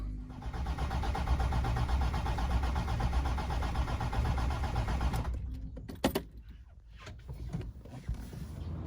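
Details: Land Rover Defender after fitting a new crank sensor: starter churns steadily about four turns a second for five seconds but never catches; crank sensor was not the cause, owner next suspects the fuel filter housing.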